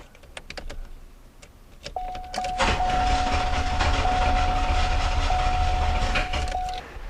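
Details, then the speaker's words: Owner thinks it is a 1991 or 1992 Olds 98 with a cranking no-start, on a compression test with the air intake partly blocked. The starter spins at about 3.5 beats per second, soft and even; compression reads much lower when air is taken away. "Okay, so as you can see, we have much, much lower compression when we take air away from the engine. And had I blocked it off completely, I'm sure it would have been even lower than that."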